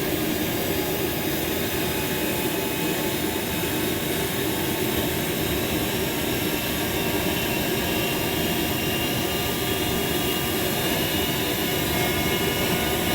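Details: JetCat RC jet turbine after repair of a failed starter clutch, worn bearings and a deformed, cracked NGV that let the turbine blades rub: steady, even high roar and whine with no surging; auto-start now normal and running healthy.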